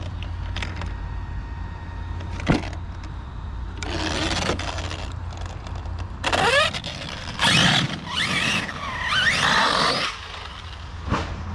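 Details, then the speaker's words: Traxxas Sledge RC truck after a bash on BMX jumps: harsh grinding bursts come and go under load, first suspected rear diff but truck stopped moving; pinion gear had come loose, chewing on the spur, a quick fix. "Sounds like a lawnmower. Right, last jump, then we're out of here. Wow, listen to that. Oh, and there's, oh, it's the pinion, guys, pinion's off."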